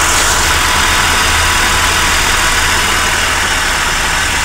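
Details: VR–VY Holden Commodore V6 after replacing the bottom drive belt idler pulley bearing, whose noise changed with revs and seemed like transmission: fires and settles into smooth, even idle, steady low hum, no squeal or rattle; normal idle.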